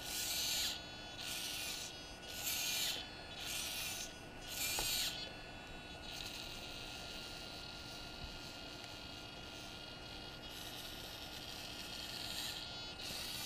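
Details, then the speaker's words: DJI Phantom 2 Vision camera pitch gimbal, stock OEM pitch servo: five short raspy high-pitched whirs as the gimbal tilts, loud and slow compared with the replacement Hi-Tech HS-5055MG digital servo; common noisy servo whine. "that Servo line yeah they're real common for that look how noisy it is and it's slow compared to the high tech"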